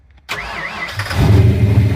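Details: Car readied to drive after 27 years, after a run and with its existing air cleaner kept on: starter whirs briefly, the engine catches within a second and settles into a steady idle; clean, healthy start with the battery charging well.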